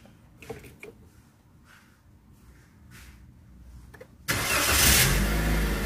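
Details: Car started while checking dashboard warning lights: quiet cabin, quick crank, engine catches at once and settles into a steady even idle; battery light goes off after start, charging system normal, healthy start.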